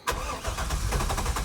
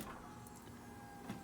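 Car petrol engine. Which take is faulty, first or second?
first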